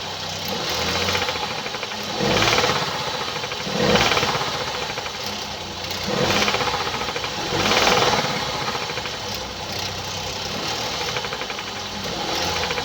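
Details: 2017 Hyundai i30 PDE, 2.0 L G3LS petrol, 88 kW/120 PS, 77,160 km: fast light ticking over a steady idle with slow swells; attributed to defective hydraulic lifters.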